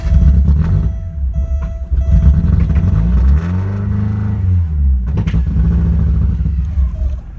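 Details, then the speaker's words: 1987 Porsche 924S after fuel rail refit, fuel pump running quietly: engine starts but won't idle, staying alive only on repeated throttle blips as revs rise and sag toward stalling. "I've got the fuel rail back on now and as you can hear the fuel pump is running quietly and I can get it to start up but unfortunately I have to give it a lot of gas keep it running you want idle"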